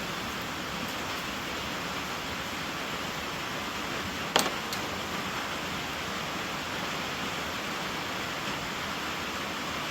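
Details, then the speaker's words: 1995 Volvo 940 B230FT leak-down test, engine off, shop air held at 70 psi: steady airy hiss with one brief clack, air escaping into the crankcase; suspected bad rings. "And we're sitting at 70. And I can hear air. I can hear air."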